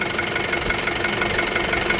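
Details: Isuzu D-Max 2.5 TD diesel, 2021 model, 48,000 km: steady engine note with light, even ticking and no heavy knock or uneven beat; engine side sounds healthy.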